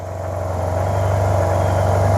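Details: Project 2009 Yamaha T-Max scooter, bought not working, fuel on empty, run briefly while holding the brake: quiet single picks up smoothly from idle into a clean rising hum with no rattle or misfire; normal idle and rev.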